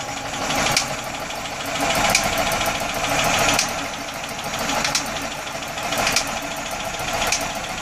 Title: Atomic 4 Popping noise